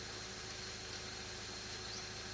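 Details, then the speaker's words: Toyota Corolla GLI that keeps losing AC refrigerant: steady airy hiss heard at the evaporator over an even idle, unchanged with engine; evaporator noise noted, more refrigerant to be added to confirm. "May naririnig ako ingay. Nagaling dito sa evaporator nya. So mayroon nga yan maririnig niyo, may ingay dito sa evaporator nya."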